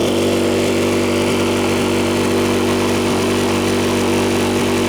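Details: Powersmart 4400 watt open frame inverter generator, newly started: steady small-engine drone with slightly uneven beat and constant hum on top; runs evenly, sounds healthy.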